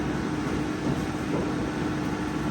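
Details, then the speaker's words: Toyota Camry electric A/C compressor winding up to about 1,000–2,000 RPM as 80° air loads the evaporator: steady mid-pitched hum under the airflow, no rattle; normal compressor operation. "you can hear I don't know if you can hear the winding of the compressor winding up like 1,000 RPMs 2,000 RPMs"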